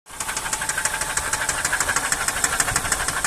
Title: Ниссан цефира стук в двигателе, причины?